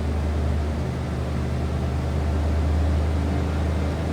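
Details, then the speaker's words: 1992 Ford F-150 XLT extended cab, 5.8-liter V8, automatic, about 40,834 miles, at fast cold high idle: deep, steady V8 burble, even firing, no knocks, ticks or exhaust leaks standing out; exhaust sounds normal. "Nothing crazy as far as exhaust."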